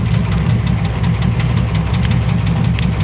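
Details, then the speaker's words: 1994 Chevy Astro van (one owner), low rumbling idle with faint repeated knocks at a steady pace, same with belt on or off; owner looking for an internal engine cause, not yet identified. "I got to figure out what this noise is and it does it with the belt on belt off doesn't matter"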